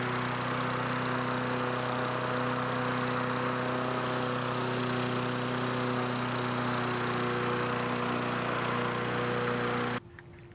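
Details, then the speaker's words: Free Tecumseh mower after tune-up, new aftermarket carburetor and governor bracket bent to lower speed: even fast buzzy drone a touch above normal; still slightly high, better than before, may need more tweaking. "does seem like it's running a little high still but not nearly as bad as it was"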